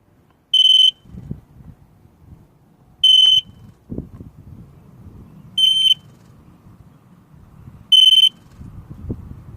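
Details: 2003 Sea-Doo GTI LE RFI: with the key on the DESS post, four short high-pitched beeps come about every two and a half seconds and the engine never turns over; the key is not accepted, no start.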